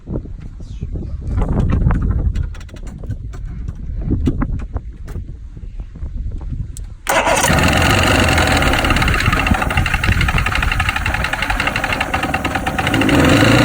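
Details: 1997 Mercury 115 hp inline oil-injected outboard that shut down at sea, with water found in the fuel, and got progressively worse. It turns over with uneven low thumps, then runs rough with a harsh knocking rattle. Suspected bad crank bearing or rod knock.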